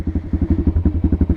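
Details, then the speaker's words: Apollo 125 RFZ dirt bike, cold, in neutral on half choke, idle adjusted: even low thumping at about ten beats per second, steady with no misses; normal cold idle on half choke. "it'll it'll idle on its own I can up the ID a little bit of it if it wants to stall"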